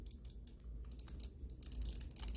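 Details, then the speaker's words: Cooler Master MM710 mouse after the post-travel fix: rapid, sharp, crisp button clicks with barely any pre-travel, where they were mushy and creaky before. "and now the clicks are super crispy there's barely any pre-travel compared to before"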